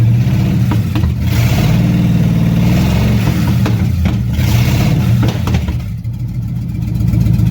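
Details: 1957 Chevy hardtop V8 (LT1 Roadmaster conversion project) after advancing ignition timing, warming up; lumpy, loping idle, blipped a couple of times and settling back — runs acceptably, normal running.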